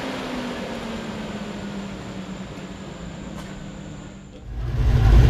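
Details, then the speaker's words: 1986 Chevy C10 with Gen 6 454 big-block V8 at idle after swapping to COMP roller rockers: smooth, even drone, valvetrain tapping gone. "so we've got the new rocker arms on and the noise seems to have stopped"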